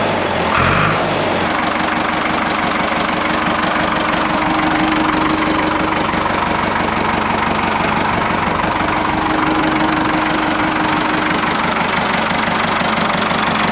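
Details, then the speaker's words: Ford 5600 tractor diesel idling after the leaking injection pump was removed, reinstalled and bled: steady, even clatter with regular beat, no misses or odd knocks, no leaks; sounds as before, timing right, healthy. "all right guys everything looks good no leaks anywhere engine sounds good you can really tell the timing by the sound of the engine it sounds just like it did before I pulled it off it means I got the timing right about where it was"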